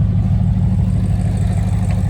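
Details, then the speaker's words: Engine just run after a new transmission and clutch were installed; it has a bad valve cover and was smoking on one side. A deep, lumpy idle with occasional stumbles sounds like a slight misfire of unknown cause. "Uh but, we don't know why it sounds like this? It starts misfiring a little bit. I don't know why that is."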